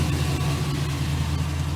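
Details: 2006 Chevy Silverado 1500 4.8 V8 after oil pressure sending unit replacement: steady low idle with an even, smooth beat and no ticking or knocking; engine sounds healthy, repair a success.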